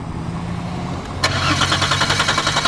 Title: 2002 Volkwagen Passat 2.8L Intermittent No Start (faulty crank sensor)